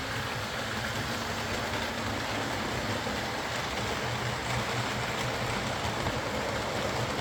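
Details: Old Lima Class 40 model locomotive in BR green on a replacement motorised chassis after the original front bogie failed; soft, even motor hum and light steady whir, pulls away slowly, quiet, no pickup issues, low current draw, no grinding or stutter.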